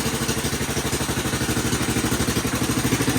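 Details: Kawasaki Bayou 220 quad, year unknown, revived project started in neutral with jump box help for weak battery: even single-cylinder thump about three per second, steady with no stumbles; idling healthy.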